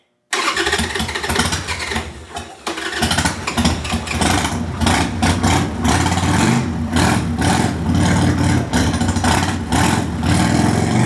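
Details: 1998 Harley-Davidson Sportster unstarted over a year, stale gas, dirty fuel filter, new lithium battery, cold: fires and revs in uneven surges, stumbling when throttle eased; won't idle, owner expects improvement once warmed up.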